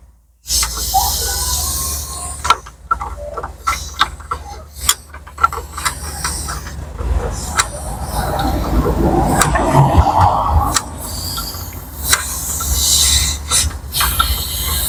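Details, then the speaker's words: BMW X5 air suspension being replaced; line cracked open on the good air spring gives a sharp, steady hiss of escaping air, showing it holds pressure, unlike the leaking one. "You could actually hear the air coming out now. I'm going to leave it like that until most of the airs come out, because that's the good airbag, because it's holding the air in."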